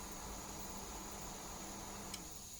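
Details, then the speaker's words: Honeywell portable heater after bridging its open resistor with a thin wire: fan runs again with a quiet steady whir and faint thin whine, no rubbing or clicking, heat output and a puff of smoke; normal fan operation. "And voila. Oof, we got a puff of smoke, too. Ugh. Disgusting. See? Fan is spinning. I can feel the heat."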